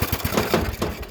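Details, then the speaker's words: Briggs & Stratton mower engine, sat outside two years, engine loosely mounted, exhaust bolts and muffler missing, carburetor cleaned with brake cleaner: sharp, loud, slightly uneven cracking exhaust about eight pulses a second; runs on its own carburetor, unmuffled. "Shoot, this one's gonna be an easy one, fellas. That was so loud. But that thing just ran on its own carburetor."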